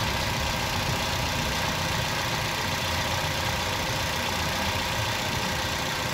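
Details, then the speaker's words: 2009 Toyota Yaris with oil warning light flickering when driven hard; rough, uneven idle with a faint whine, audible from inside the car, before oil flush and oil filter screen cleaning; sludged or fake oil suspected. "dan di mobil ini kita didengarkan suaranya itu agak aneh bisa dibandingkan Nanti dengan ketika setelah selesai di sini suara mesinnya itu tidak agak kasar ya terus ada Meraung engine begitulah"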